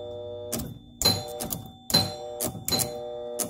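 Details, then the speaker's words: 1975 Gottlieb Atlantis pinball machine out of storage: sharp uneven mechanical clacks with some ringing chimes as a score reel steps normally again after a sticking, buzzing unit that was locking on was freed. "that guy is locking on if you close it there we go just needed a little bit of love okay that reel is now moving"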